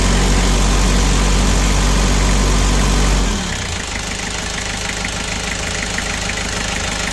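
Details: Kia Bongo Frontier 3.0 JT diesel idling, also overheating (no shroud), low power, black smoke, injectors suspected: steady clatter of three to four knocks a second over the rumble — suspected internal engine knock, unconfirmed.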